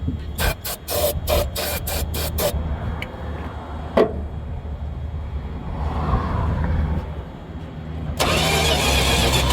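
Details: Dodge 318 that died while driving; it has spark and fuel and a new ignition coil, and was cooled down and tried on ether after suspected vapor lock. Uneven cranking that never catches, with exhaust blowing up out of the carburetor.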